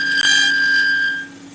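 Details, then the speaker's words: Wood-turning lathe, blank held without a supporting tube, carbide tool with a fresh edge: high, piercing steady squeal for about a second as the tool bites, then dies away; the blank chatters under the tool. "man this thing just wants to scream it's tough when you don't have a tube in there to keep it steady"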